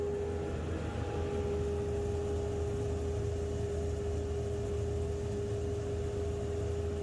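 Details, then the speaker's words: Homemade 2 HP cyclone dust collector built from a modified Harbor Freight unit: steady motor hum and airflow rush at an even, constant tone with no rattles or surging; runs smoothly and quieter than expected. "Actually, it's not even that loud. I'll leave the volume on for a second so you can hear it, but it's really not as bad as I expected."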